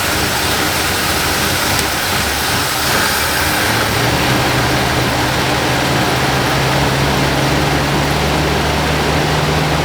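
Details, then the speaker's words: 1978 Lincoln Town Car, first start in about 25 years, on a new or cleaned carburetor: the V8 fires right up and holds a loud, steady idle, smoky but with no obvious knocking. Running fine. "that was something she fired right up yeah"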